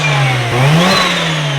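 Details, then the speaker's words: Mazda RX-7 FC built turbo rotary with new full exhaust, revved out. Quick rev rises then settles, a thin rising turbo whistle over a fairly quiet exhaust, only the turbo heard up front: normal revving with turbo whistle. "the one through the honors quiet it's so quiet you could hear all you hear is the turbo up here it's quiet up here it means it'll probably be pretty quiet in the car which is good news"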